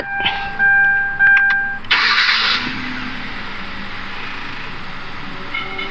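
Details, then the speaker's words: 2011 Kia Forte after replacing the noisy water pump (bearing made the kekh-kekh noise): chimes, short crank, then quiet even idle with no rattle or scraping; normal idle, repair fixed it. "Nah sekarang ini sudah siap tiada sudah bising ya Tidak sudah bunyi yang baru kita stop dulu enzim"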